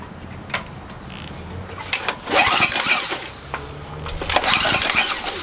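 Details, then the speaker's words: Generac 3000 watt generator with overhead-valve engine, bought as a mechanic's special; valve gap looked large: repeated pull-start cranking with brief coughing catches that die away; cranks but won't start. "all right sounds like it wants to go why won't you just start it did sound like it right I'm not crazy"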